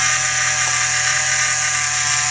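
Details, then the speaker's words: 2013 Jeep JK 3.6L Pentastar, engine running: steady loud high-pitched whine under the hood from a worn belt idler pulley bearing, not the alternator as a mechanic had claimed; pulley replaced. "as you can tell I've got a nasty wine happening under the hood of my 2013 big head and we're gonna identify what that is"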